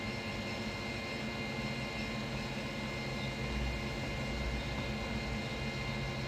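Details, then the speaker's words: AllPowers S2000 solar generator at 100% charge on 110 V plus solar after abuse test: soft, steady cooling fan whoosh with faint constant hum, no ticking or rattle, fan slowing incrementally as unit cools, cool air from side; normal. "definitely slowing down I don't know if you guys can hear it but the fan is slowing down very incremental steps of slowing down as it cools off"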